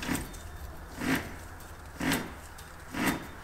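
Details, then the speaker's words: 2000 Chevrolet Blazer front wheel hub turned by hand, front-end noise heard after exhaust repair, hard to turn; dry scrape about once a second, owner suspects bad wheel bearing, side uncertain; rough hub rotation. "so my plan today was to replace the wheel bearings because i have a front end noise that i couldn't hear until i got the exhaust fixed you can hear it a little bit here"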